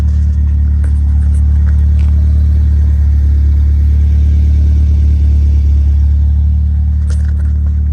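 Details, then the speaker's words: Honda B20 after fixing a high idle (~1800 rpm): dirty IACV swapped for one from a B16, new TPS voltage, throttle cable readjusted, new 70mm throttle body, just driven. Smooth, even low idle just above 1000 rpm, no surging; idle control working properly. "I just swapped the iacv from the B16. Mine was a little dirty, but for the most part, got it idling pretty good now."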